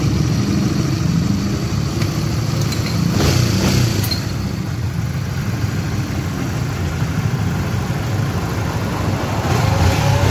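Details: Honda GTR motorcycle that had a rough engine noise, after replacing the chain tensioner: steady single-cylinder rumble that picks up cleanly with a couple of blips, with no rattle or chain slap. Running healthy.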